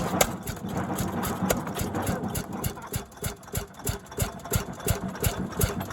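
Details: 1929 Fairbanks-Morse 7½ hp barn-find engine, first start after oiling and retiming: uneven string of sharp firing pops with coasting gaps; normal healthy hit-and-miss running.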